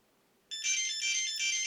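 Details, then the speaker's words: ArduCopter 4.2 Rekon 5" quad, buzzer wired to motor output 5 with alarm inverted output type, powered on: silence then bright multi-note chirping melody; normal startup tune. "So you can hear the dulcet tones of ArduCopter courtesy of the motor output."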